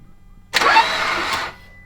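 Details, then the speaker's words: Blown Mitsubishi Evo X engine being cranked before its rebuild, probably with no oiling: about a second of steady cranking whir with no clank-clank rhythm, so a broken connecting rod seems unlikely. "I don't hear anything rattling that's a good sign if you had a broken rod it'd be like Clank Clank Clank Clank Clank"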